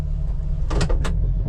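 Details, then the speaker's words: Jeep Wrangler TJ, warm after a 5–8 mile test drive, idling in gear: the low idle wavers and stumbles with a few clatters. Misfiring and RPM bounce were noted on the drive, and the idle improves out of gear. Rough idle, cause unconfirmed. "Okay, here we are back at the house. You can see we got this rough idle."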